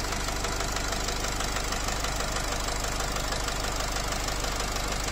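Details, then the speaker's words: Nissan X-Trail with Renault 2.0 dCi diesel, unburnt-fuel smell, knock just appeared, mechanic says it feels like the piston hitting the valves: a sharp, regular metallic knock about three per second over the idle clatter, a worn connecting rod. "Вот, появился этот стук. Ощущение, что лупит поршень по клапанам."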